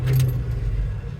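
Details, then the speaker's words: Old Dodge Holiday Rambler motorhome, stored over 20 years, with its front brakes done and a troublesome carburetor being replaced: engine catches quickly and settles into a low, quiet, even rumble with no popping or stumbling; normal start and idle. "listen how good this thing starts"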